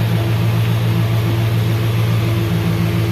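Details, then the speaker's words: 2005 GMC Sierra previously with no crank, after computer pins changed: engine starts and idles steadily and smoothly with no knocks or misses; security light stays on after computer change. "य देख पा रहे हैं गाड़ी अभी start है सही है गाड़ी में कोई दिक्कत नहीं"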